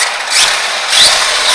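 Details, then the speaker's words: Arrma Big Rock RC truck after a 4S-stripped spur gear was replaced with an HD steel 57T spur, tested on 3S LiPo; smooth high motor and gear whine rising and easing with throttle, no grinding or clicking, gear mesh healthy. "But as you can see, guys, she's back in action again. Sounds pretty good. Mesh sounds pretty good."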